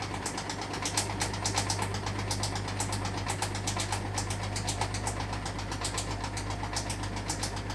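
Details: Hotpoint washing machine on final spin: quick sharp knocks about four a second over steady spin hum; owner thinks a pants string was catching inside the drum.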